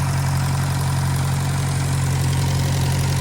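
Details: 1956 French-built Massey Harris Pony 812 tractor, Simca 9 gasoline engine, after fuel pump rebuild: low, steady idle with even beat and no stumbling; fuel leak fixed, runs smoothly.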